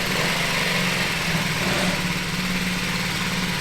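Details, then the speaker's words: 1978 Honda Z50 with new 88cc big bore kit, just started after rebuild before heat cycle: steady, crisp single-cylinder idle with even beat, no misses, knocks or hunting; normal healthy idle. "Oh, listen to it idle. That thing sounds awesome."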